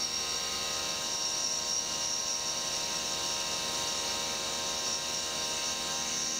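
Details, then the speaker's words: CNC milling a 3D lightening pocket in an AR15 high rail gas block. Cut in one pass because G-Wizard warned more than 0.001 in deflection; on the same path the earlier cut chattered, but here a steady high whine shows a smooth cut without chatter. "now curiously on this path which is the exact same cut it doesn't chat i'm not sure what that's about"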